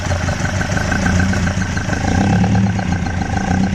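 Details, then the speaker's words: Mk1 Ford Escort with new bottom end, first run cold (thermostat not yet open): lumpy idle, carbs unbalanced and making a racket, massive vacuum leak, cam suspected well retarded; no major rattling or knock from the bottom end. "But there's no major rattling noises coming from the bottom end. I mean, the carbs are making a racket, but she's a bit lumpy,"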